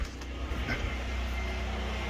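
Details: Generator powering most of a house, with the microwave and electric hot water heater running: an even, low drone with no dips or bogging, so it carries the load comfortably within capacity.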